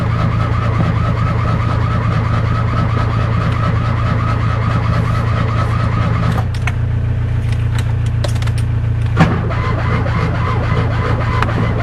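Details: Fiat 126 cold start, last run 18 October: steady fast cranking churns on for the whole attempt but the engine never fires; crank-no-start, owner suspects spark plugs or ignition coil.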